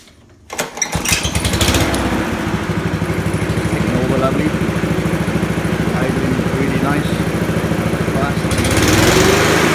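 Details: Honda HRU216 lawn mower, restarted after letting oil settle, run at fast throttle: governor set low, engine about twenty percent under full rpm; moving the governor lever raises speed markedly; governor arm needs to sit further right.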